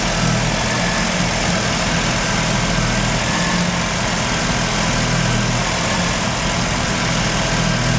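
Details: Mazda RX-7 rotary, failed annual inspection with very high CO (2.70): steady low idle with uneven choppy undertone; misfire worst with slight throttle; no oil pressure shown, no leaks; ignition leads already measured; rough idle, likely misfire, cause not yet found.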